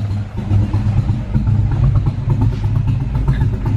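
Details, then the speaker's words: SN95 Ford Mustang converted to carburetor, air bleeds backed off; low lumpy idle barely hanging on, black smoke, wideband air-fuel about 10–11 at idle: rich mixture rough idle, before idle mixture screw adjustment. "That sounds really bad. It's puffing black smoke out too, like it's really rich."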